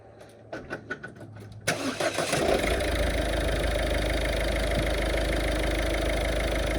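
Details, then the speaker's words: 2010 Ford Fiesta Zetec diesel cold-starts at once after a few cranking beats and settles into an even idle clatter with no misfire, after a new timing belt, auxiliary belt, fuel, oil and air filters and an oil change. "And she starts lovely. Job done."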